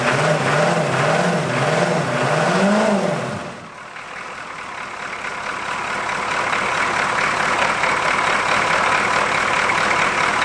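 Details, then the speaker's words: Abandoned 1981 Buick with 350 diesel V8, cold first start after bleeding air from injector lines, glow plugs not working and one glow plug unhooked; idle surges and hunts, lumpy and uneven, misfiring, not hitting on all 8 cylinders. "We're not hitting on all 8, that's for sure, but it's hitting."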